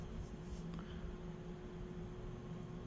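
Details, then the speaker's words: 1987 Air Cool 36-inch spinner ceiling fan at low speed on solid-state speed control: steady mid-pitched electrical hum over soft whoosh, loud and obnoxious, almost sounding loose; globe checked tight. "no that's not bedroom no it's living room might even be loud how loud SC loud that scales it's not quite an 1895 but no it it might make it into the loud category though yeah that's pretty obnoxious"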